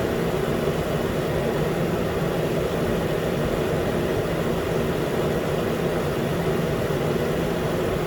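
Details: 2013 Nissan Pathfinder, 265k miles, after new AC clutch and serpentine belt, around 80 degrees: new clutch clicks on, even steady idle under smooth compressor hiss, no rattles or squeals; normal.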